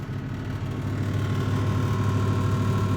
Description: When either heating or cooling down, there’s some sort of internal resonance that gets intermittently very loud - enough to hear it upstairs.